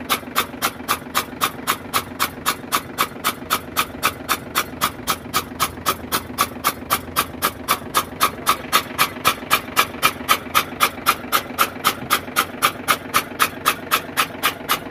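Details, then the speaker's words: FAW truck diesel that wouldn't start after sitting 2-3 hours, with water in one cylinder, cranked with the injector out: very even chuffing at about four per second as the starter spins the engine freely, blowing the water out. "ठीक है तो हमने एक ही to Mysore खोला था क्योंकि हमें पता चल गया तो हमने देखा था कि एक ही या चैप्टर में मतलब एक की पिस्टल में पानी आ रहा था"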